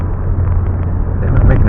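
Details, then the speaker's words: 2009 Chevrolet Malibu on a test drive at about 40–45 mph after front wheel bearing replacement, hub nut torqued to 160 ft-lb: only a low, even road rumble with no hum or growl, so the bearing sounds normal. "noise I don't hear that has the kind of sound I like to hear in work great"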